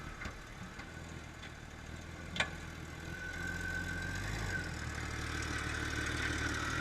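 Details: Jeep at steady idle with a few dull clunks landing irregularly about a second apart; source unknown, owners suspect a ball joint, link mount or hub assembly.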